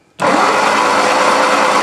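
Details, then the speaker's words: 1963 Lotus Cortina Mk1 Crayford convertible, long-stored garage find, cranked on a battery pack: starter spins at a steady high whir with no firing; no spark with new or old plugs, cap or rotor suspected. "no okay so we've not got a spark with the new plugs or the old plugs which means either cap rotor"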